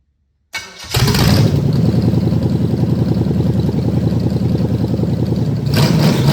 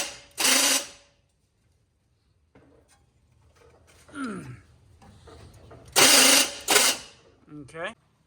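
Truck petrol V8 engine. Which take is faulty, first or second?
second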